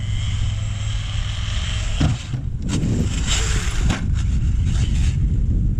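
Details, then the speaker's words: Traxxas X-Maxx electric RC truck on XRT tires bashing rough ground: whine and rumble with uneven clicking from worn-out drivetrain gears; pinion still good. "Alright, the gears are already toast. What's one more? Oh, you can really hear it clicking in there now."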